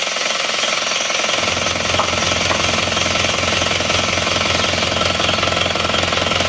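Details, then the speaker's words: Isuzu Panther 2.5 diesel after a road drive, its badly seized liners pressed out with a 30-ton jack and reused: loud, fast, even clatter with no misses or odd knocks, no smoke; healthy. "walaupun linernya kemarin macet nyaris nggak bisa dilepas ternyata di balik Mas tetap bisa masih tetap aman nah nggak ada asap"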